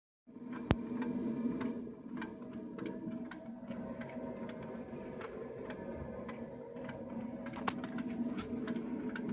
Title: Ovo smart gas meter making noise when heating switches on.